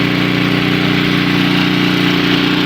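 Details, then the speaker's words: Two-stage snowblower, four-cycle engine, warmed up with the choke fully off: steady, even idle drone with no misses or surging; ready to run. "now finally i think that the engine is ready to run smoothly so i'm going to take the choke off all the way"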